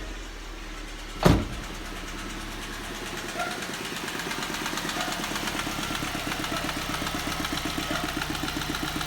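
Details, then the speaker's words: 2005 Ford Focus at startup and idle: fast, even, light knock-like tick that sounds like engine knock; actually a loose rubber cover on the engine slapping. "so that's the sound so if you hear this i mean reasonably you might think it's a an engine knock that's what i thought it was"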